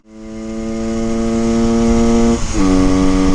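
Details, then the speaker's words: 1974 Honda MT250 Elsinore two-stroke during a top speed run after throttle needle, jetting and new boots cured a crackling hang-up: strong, clean wail held high, brief dip at the shift, first time reaching redline; normal high-rev running. "the first time I've actually redlined it it would never make it before"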